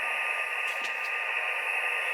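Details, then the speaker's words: Ham radio receiving on a random wire antenna: steady loud hiss and static with no signal getting through, far noisier than the 20-foot pole antenna; turning off the fans and LED light did not cure it. "So that's just how much noise the random wire is getting compared to my 20-foot pole. So right there off the bat, there's no comparison."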